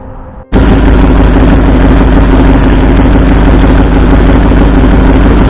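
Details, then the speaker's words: 1964 Ford F100 V8 idling during cylinder contribution testing, plug wires pulled one at a time: loud, uneven stumbling thump; no RPM change on driver's-side front and passenger-side second cylinder, so two cylinders are not firing. "Alright, so what we found, this cylinder here, driver's side, the front one, had no response when I pulled the plug wire, and the second cylinder back on the passenger side, also no RPM change. So it appears we have two cylinders that aren't firing."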